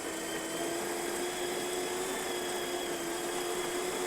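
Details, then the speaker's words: Breville Oracle Touch built-in grinder after a full service including a leaking brew-boiler OPV replaced: steady even grinding hum with a constant high whine, no knocks or rattles, then the disc spins down before tamping. Normal operation. "Once you hear the grinder stop and you're going to hear the disc spin for a little bit, that's how you know that it's just finished and it's stamping mode."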